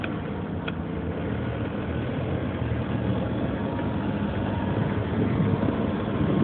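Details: 2003 Nissan Murano engine at idle, rough and uneven with a faint irregular tapping over the low drone; strange noise, source not identified.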